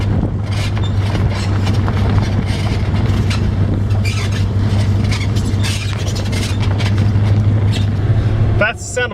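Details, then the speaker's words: Truck driving: uneven clunks and knocks through road rumble from worn lower ball joints, both lowers bad, possibly all four, started with one; worn ball joint clunk. "the sound of ball joints. That's coming up. It started with one of them was bad. I know both lowers are bad at this point."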